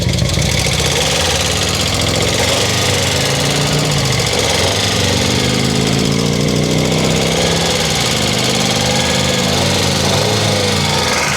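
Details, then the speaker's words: Cheap auction Hyundai Accent, oil level unchecked: revved in park, busy petrol note with light quick chatter on top; valve tap, owner suspects low oil, not too concerning. "Definitely a little tappy on the motor there, right? Nothing that I'd be too concerned about."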